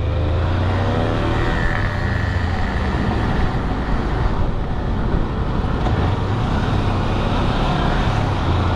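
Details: Kawasaki Versys-X 250 after replacing a broken rear wheel bearing, coasting with clutch in: smooth, even road and wind rush with no growl or rumble from the rear wheel; normal wheel bearing.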